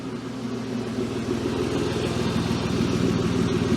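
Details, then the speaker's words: BMW E36 drift car idling on the lift after exhaust coupler repairs: steady idle with a fast, even puffing tick; suspected exhaust leak, possibly at the front flange, exact spot not yet confirmed. "wait is it just leaking from the exhaust lamage up front it sounds like it's from here but I don't feel it anywhere like I did before"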